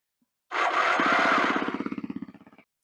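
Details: Kawasaki KLX 250/300, starter refitted with original casings after it failed off-road: harsh whirring crash on engagement then fast rattling chatter slowing to about three per second; torque limiter to be inspected next.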